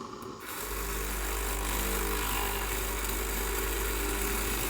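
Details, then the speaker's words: Breville Barista Express BES870 espresso machine with steam stopping: the pump runs with a firm, steady buzz, reaching and holding full pressure without leaking or bouncing, and the solenoids work. A slowly dying motherboard is suspected. "Yep. So as you see, the pump works fine. The solenoids work fine."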